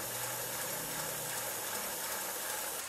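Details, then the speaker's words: Pennsylvania A3 switcher model steam locomotive first run on compressed air at about 13–14 PSI: hissy, slow uneven chuffs, binding that tightens and loosens over time, using excessive air; cause later thought to be mostly overtight piston rod gland packing nuts. "And after I ran it for a while, it would get tighter over time. Like it would be loose for a little bit and then tighten up and then loose for a bit and then tighten up. So there's something fishy going on."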